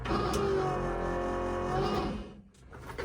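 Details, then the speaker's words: High-mileage 2003 Dodge Ram 3500 Cummins: a steady electric-motor whir for about two seconds after the brake pedal is pressed, then it cuts out; owner suspects an electric hydraulic brake pump. ">> Have an electronic hydraulic pump for the brakes. >> I don't have a clue. >> And that's what it sounds like. An electric motor."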